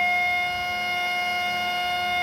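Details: HP LaserJet 1020 laser printer switched off and back on: a loud, piercing whine returns and holds one steady high pitch with no beat or rhythm. The laser scanner motor is screaming.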